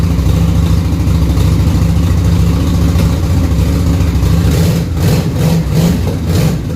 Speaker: Well, it runs. It's running on one cylinder currently. The other one's trying to kick in.